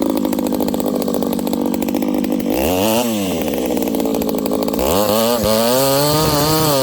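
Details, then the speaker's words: Ported and piped vintage Homelite 922 chainsaw at full throttle in the cut after leaning the high jet an eighth turn in; bogs into the cut then climbs back cleanly, crisp strong pull, no stumble. Owner suspects overlong fuel line causes position sensitivity. "i just leaned it out i gave the high jet about another eighth of a turn in seems to be pulling a little harder so"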